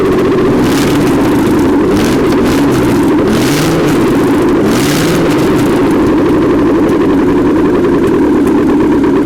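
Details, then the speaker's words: 1979 GMC Heavy-Half with a scrapped 350 small-block V8 with new heads, coolant not hooked up; engine speed swells and dips while the timing is set, then holds a strong, even idle; normal idle. "So, all right. She's a runner again. That's pretty good. Throwaway engine off Iceman's trailer."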